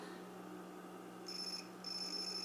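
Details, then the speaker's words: Amiga 1200 Rev 2B, after replacing the shot 68-ohm SMD resistor: a logic probe on the resistor off Lisa's R7 output hums faintly, then holds a high steady tone that briefly drops out. Signal is present on both sides of the resistor. "As you can hear, there's signal. And now the other side. And there it goes. So it makes it to the other side of the resistor,"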